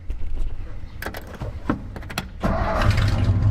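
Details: 1955 Ford started in neutral in the morning after sitting overnight, on a 1200-mile desert trip. Some clatter, then it catches quickly and settles into a steady, deep, low rumble with no misfire: a healthy cold start.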